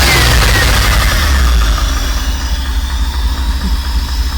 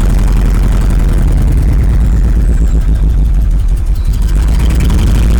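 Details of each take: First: Rolls-Royce Silver Spirit 6.75-litre V8, parked since 2022, after new coil and parts: deep, fairly even idle with steady low pulse and no misfire stumble, now running on more cylinders; carburettor tuning still needed. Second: 1986 Rolls-Royce Silver Spirit II, parked since 2022, just caught after long cold cranking: lumpy, uneven idle with stumbling beats, a dead cylinder misfiring; still some bad fuel in it, spark plugs to be pulled and checked next.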